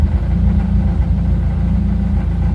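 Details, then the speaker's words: 1996 Honda Prelude Si at idle after wire-brushing corroded distributor cap contacts: low uneven stumbling idle with dropped firing pulses; still misfiring, slightly less than before, cleaning made little difference. "Oh, it's still misfiring. Not quite as bad though."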